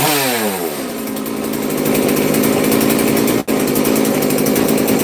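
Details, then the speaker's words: FarmMac F380 or F660 (Stihl 066 clone) two-stroke chainsaw, started on full choke, high buzzy drone holding steady speed apart from one brief dip; sounds a little better than before, smoky, engine running normally. "that sounds a little better before all Smoke's going to make me cough"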